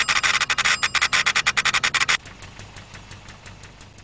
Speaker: [Engine starts] [click-click-click of spark] [buzz-buzz-buzz in time with ignition spark] [Engine revs up, drowns out noise of sparks]